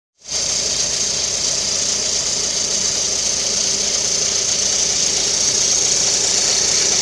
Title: свист ремня ГРМ двигателя 11194, калина, со снятой крышкой привода ГРМ